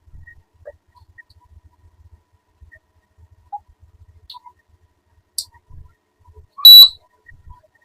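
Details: AC/DC fan with 12 V DC applied gives one sharp high-pitched beep in a near-silent room, with no motor hum or air noise after it; the DC driver side is faulty, likely a MOSFET, so the motor is not powered.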